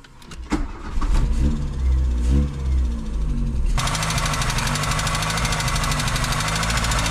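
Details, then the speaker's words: VW Golf 2 with carburettor, cold start while warming up after an oil top-up: fast, even metallic clatter over the idle; owner says not injectors, suspects the tappets; unconfirmed. "c'est pas les injecteurs c'est peut être que les poussoirs"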